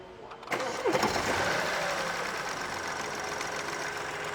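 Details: BMW with 70,000 km after replacing the crankshaft pulley and belt: a quick crank, then it catches and settles to a steady smooth idle with the tractor-like clatter gone. A leaking hydraulic engine mount was also found.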